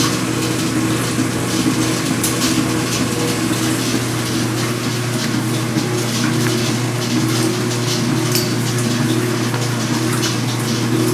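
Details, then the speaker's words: Speed Queen washer during agitation only, not spin: loose metallic rattle like shaken pennies over the agitation hum, from a dry vibrating washer on the spindle; fixed by greasing it, accessed from underneath. "it's not that loud but it sounds like a bunch of pennies rattling together"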